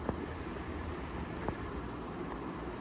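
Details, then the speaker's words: Ceiling fan under a year old, after a repair for a metallic noise that mostly came at high speed: runs smoothly with only a soft, steady airy hum and no grinding or rattle. "Rodando certinho, funcionando bonitinho sem barulho aí."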